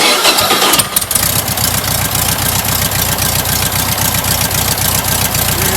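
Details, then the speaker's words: Rebuilt stock air-cooled VW H-case flat-four, a tight motor whose oil pressure light takes a minute to come on: short crank, immediate catch, then a steady, even idle beat; normal start and idle. "Runs good, man. It's a good stock motor. Yeah, it sounds good."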